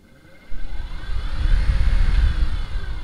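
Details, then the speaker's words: Minn Kota trolling motor at full speed 10 after prop replacement and skeg rotation; before, after hitting rocks, it vibrated badly above speed 5. Now a low, steady churning whir with only a faint rattle left, far better than before: normal running. "uh this thing got a little rattle but it's a lot better than before"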